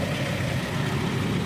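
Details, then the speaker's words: Toyota Deliboy van petrol engine at idle with the AC on: steady low idle with an even fan hum and no knocks, and the compressor kicks on and off normally while the engine holds speed. "You can hear that the fan and the compressor are working properly as it kicks on and off."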